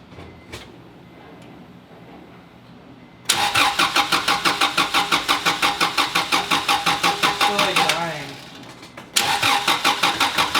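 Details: Acura Integra with a worn-out engine, jump-boxed with a brand-new distributor fitted because the distributor is suspected: starter cranks steadily about three turns a second, stops, cranks again, but the engine never catches; crank, no start.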